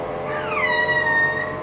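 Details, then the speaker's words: Giraffe Tools Grandfalls Pressure Washer Pro (wall-mounted) with the stock hose: a high, clear whine slides down in pitch and holds before fading after the trigger is released. The source of this weird whining squeal is unknown. "right still makes that weird whining sound"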